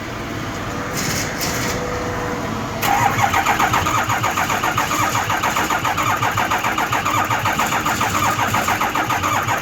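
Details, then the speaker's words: Ford 6.0 Powerstroke diesel no-start, cranking with low oil pressure sensor removed: starter churns about four even beats a second for seven seconds, never fires; no oil pressure, metallic debris on sensor, suspected oil pressure problem. "okay so we didn't get no pressure coming out from the low-low at the side of it and so I'm just gonna determine its of oil pressure problem"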